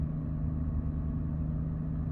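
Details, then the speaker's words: Jaguar XKR X150 supercharged V8, just started after a burst coolant hose, V-of-V8 O-ring, rubber coupling and three hoses were replaced: deep, smooth burble at steady idle without stumbles or surging; runs clean. "Sorting herself out, getting the air, water and fuel mixture right."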